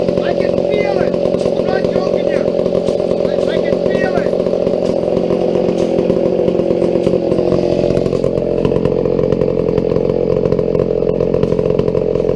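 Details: Old McCulloch 797 123cc chainsaw that sat unfired for years, restarted after sorting a few issues, running on a foo bar fuel system with an added filter; steady, even buzz holding speed without stumbling, engine healthy.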